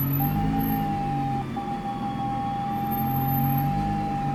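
A thin, steady high squeal holds over the road rumble while driving, with faint chirps up top; the source is unknown.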